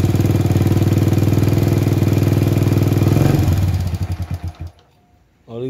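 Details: Honda Supra Fit with a newly replaced oil pump, previously not lifting oil to the head and running hot: even single-cylinder idle at about four beats per second, smooth until shut off; oil now reaches the head.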